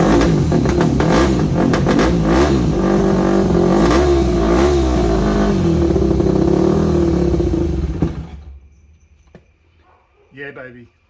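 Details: Yamaha WR250 with good compression, first start after revival: single-cylinder thumping about four beats a second, hunting and blipping unevenly, then dying; won't hold idle, carb needs rebuild, owner unsure whether idle jet is fully unblocked.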